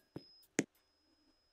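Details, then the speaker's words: Montgomery elevator at Washington Park MAX station, recorded close up: two crisp isolated door sensor relay clicks over a faint steady high beep; the relay is switching normally. "come here closely you can hear the the relay click for the sensor I can hear the beeping can you hear the click"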